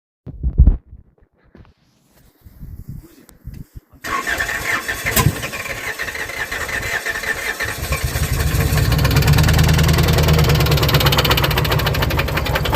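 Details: Lexus engine fires after some fumbling and settles into a rough idle with a steady knock underneath, about three per second; rod knock suspected, not confirmed, yet the engine still runs.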